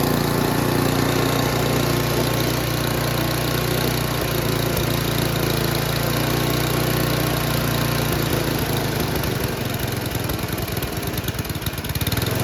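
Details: Noma/Murray Snow King 27" dual-stage snowblower, 9HP Tecumseh, with its replacement HIPA carburetor: a fast, even run at full throttle whose note changes near the end. The carb fuels it properly; the owner says full throttle is too high.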